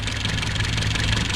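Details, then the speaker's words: 1969 Opel GT four-cylinder idling after a Weber 32/36 carburetor install, new water pump and ported head; even steady idle with soft pulse, no misses; runs clean and healthy. "here we go awesome got idling good oh yeah so we poured the head i think that's why it runs so good"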